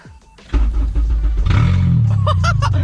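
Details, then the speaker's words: Honda Civic after fuel cell install: quiet cranking, catches within half a second and settles into a steady, even idle with no stumbling; normal start and idle, though the fuel pump is noticeably loud. "Oh man, she ran so easily. Yo, she's even running really nicely. I just don't like the sound of the fuel pump. It's so loud."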